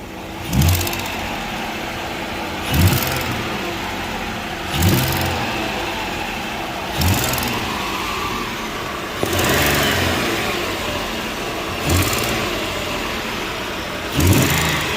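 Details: 2014 Ford Explorer with a hiss and scrape from the exhaust area, exhaust smell under the hood: each rev brings a sharp puffing hiss. A manifold bolt was found missing, though the mechanic suspects the cat may be leaking.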